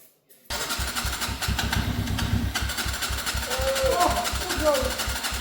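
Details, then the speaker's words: Abandoned Gilera motorbike left in a field for years, after wiring fiddled to cure a missing spark: catches and keeps running with steady even exhaust thump under a rattly top end; it starts and runs. "Who would have thought out of five bikes, the one that runs is not the Yamaha, it's not the Suzuki, it's not the Honda."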